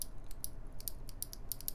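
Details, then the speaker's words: NovelKeys Cream Clicky switch, linear feel with no bump, mic held close: sharp crisp clicks about five a second, each a clean snap as the stem nears bottom-out; a normal, healthy clicky click. "but there is an audible clicking sound when the stem reaches close to bottom up which is pretty interesting"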